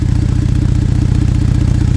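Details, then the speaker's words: Broken flex pipe on a Ford Flex EcoBoost idling at about 14°F. A cheap temporary repair blew out after a 60-mile trip, giving loud, deep, even chuffing with a hard pulsing beat: an exhaust leak. "as you can hear as you can see the repair that I tried to do right here didn't really work I took the flex on a 60 mile trip and obviously it blew everything out on me"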